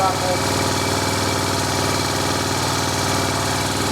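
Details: 1978 Moto Morini Strada twin at idle after replacing corroded rockers with rebuilt rocker sets, rocker boxes still off; even light valve-train tick, no loose rocker clatter, improvement, valve gear sounds healthy.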